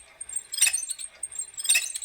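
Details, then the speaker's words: Treadmill motor with flywheel attached, six years outdoors, dirty and rusty, turned slowly by hand: high dry squeaks in two short bursts with rotor drag; owner plans to strip and lubricate it. "it's still got the flywheel on it it's kind of heavy there's some drag inside the rotor itself and you can hear"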